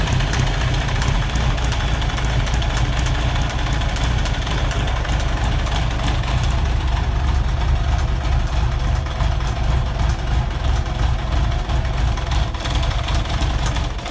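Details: 1991 ZZR1100 bought as spares or repair, being brought back to life. Busy, rough-edged idle with a clattery undertone over a deep steady hum; an unidentified abnormal engine noise, cause unknown.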